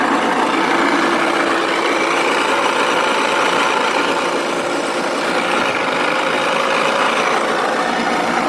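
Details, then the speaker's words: Four-stroke 80cc scooter engine running with a harsh, steady rustling grind over its buzz, described as knocking and not running properly. No clear knock is heard. Cause not yet diagnosed before teardown. "На видео слышно, что двигатель работает не совсем исправно."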